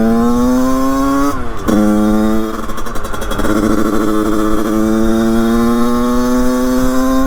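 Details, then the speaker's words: Beta two-stroke with 34 Mikuni cross carburettor, 100cc, idle jet 25, during carb tuning: idle hunts up and down unevenly, stumbling then recovering; carburettor badly mistuned, much still to adjust. "elle est vraiment très très mal réglée il y a énormément de choses à revoir"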